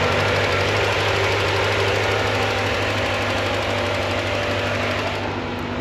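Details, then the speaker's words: Corvette C4 after fuel pressure regulator and fuel pump install: steady idle settling down from 900 toward 700 rpm, constant airy whoosh from front radiator electric fan; sounds normal. "She idles down like she should. She's down to nine. Eventually she'll go down to seven. Sounds pretty good. Okay, so that fan is off now, but you can still hear the one in the front part front of the radiator."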